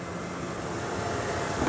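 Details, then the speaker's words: 1996 Ford F-150 extended cab 4x4 XLT with the 5.8 liter V8, cold start on a cold day with the temp gauge still down: low, steady, smooth idle with no misses, knocks or smoke, normal. "it's a cold day and, you know, it's not kicking out any smoke, nothing like that. You can hear nice, smooth idle."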